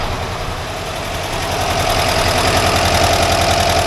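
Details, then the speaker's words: 1982 air-cooled VW Vanagon Westfalia after valve adjustment, warm idle: crisp, even ticking about three and a half per second over the engine, one side noisier than the other; normal valve tick. "I can hear the valves here going, so that's alright. That's normal noise. This one here is noisier than the other side."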